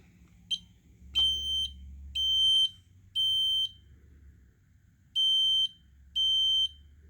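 Loud shrill beeps repeat about once a second over a faint low hum, a steady test pattern: the alarm works.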